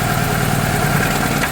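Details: Engine later taken apart with the cylinder head removed: a rough, uneven idle with a stumbling beat as one cylinder keeps dropping out; a weak VTEC solenoid was suspected.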